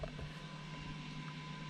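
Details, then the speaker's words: 2015-or-newer Ford F150 electronic parking brake, entering maintenance mode for a brake and rotor change (key on, park brake pushed, gas held, key cycled): a quiet steady electric whir with no grinding as the motor engages normally. "then you're going to turn on the key, and you're going to automatically hear the parking brake starting to engage,"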